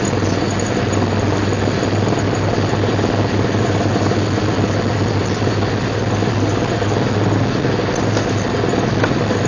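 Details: 1999 Jeep XJ lifted 6.5", steady rough grinding drone with a low throb from the front only in 4WD Hi and Lo, worst when front diff is loaded; persists after new axle U-joints, rebuilt Dana 30 and front driveshaft.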